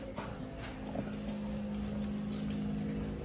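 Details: Samsung refrigerator freezer making a steady low hum and droning whir with the doors closed. It gets louder at the back and stops when the doors open; diagnosed as a bad evaporator fan motor needing replacement.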